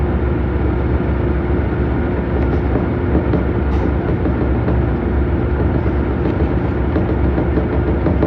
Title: Samsung washer weirdly shaking and making noises